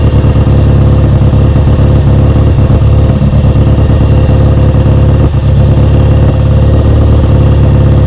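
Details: Kawasaki W1 twin, first start after restoration, carb being set up: uneven loping idle that wants to stumble, won't hold idle off choke; idle circuit is clear, owner suspects a vacuum leak or a too-small pilot jet.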